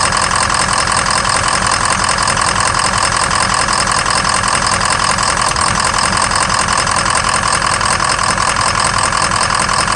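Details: 2003 Ford Excursion 6.0 diesel idle with occasional stumbling miss; #5 injector shows low voltage and poor cylinder contribution, small blue smoke puff each miss, FICM voltage good; injector suspected.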